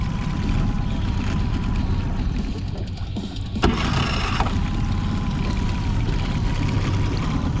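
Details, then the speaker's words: 2008 Honda 20hp four-stroke tiller outboard, restored after seizure, mixture screw dialed in, on the water after an hour and a half: steady even drone, smooth firing, no misses or surging; restarts every time, healthy. "I mean, this motor is running amazing. And I've been shutting it off a bunch, firing it up, full throttle. A little bit of everything. Just fires right up every time."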